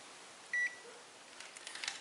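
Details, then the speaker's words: Power strip repair, new black switch fitted in place of original grey: single short high multimeter beep in a quiet room, about a sixth of a second, confirming the switch conducts when on; continuity beep. "Já tem aí, já tem continuidade, ó. Ó o barulhinho, tá ouvindo?"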